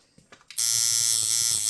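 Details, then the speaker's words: Coil tattoo machine modified for longer stroke, running at 12 volts: harsh loud buzzing rattle, steady and very aggressive hit; too much voltage, to be lowered toward 10 volts. "Oh my god, the hit on that is unreal."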